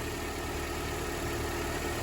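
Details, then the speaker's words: Car idling right after starting off a dead battery charged with a makeshift $20-30 setup, while the battery charges. Steady, even idle with a smooth low drone and no misses or knocks; running normally. "It just started. See, it's running. The battery's charging."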